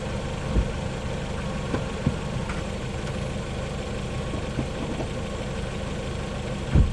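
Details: 2020 LADA Vesta SW Cross, 13,300 km, 1.8 engine, AMT robot gearbox, updated SAAZ front struts, highway around 100 km/h over rippled road: steady road rumble, few soft bumps, no strut knocks; suspension normal.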